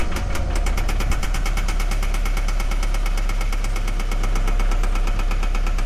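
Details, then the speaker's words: 2013 Scion FR-S at idle: sharp metallic tapping about eight knocks per second locked to engine speed; misfire found on cylinder 4, teardown recommended; internal engine knock. "I don't know if you hear it, but Uh this is the car with a knocking sounds. So pretty much customer complaint you know with a knocking sound."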